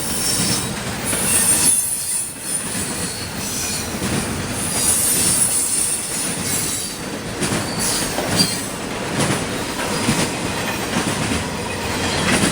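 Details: CSX intermodal freight train passing in Georgia: sustained high-pitched metallic screech over the rolling clatter of the cars; wheel squeal on the rail.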